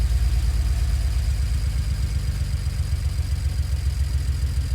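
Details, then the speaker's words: BMW E91 335 wagon N54 engine, coil swapped to cylinder 2 to see if misfire follows: low idle with uneven stumbling beat dropping out; misfire, DME then reads cylinders 2 and 1. "so as you can hear as you can hear the cries - misfiring"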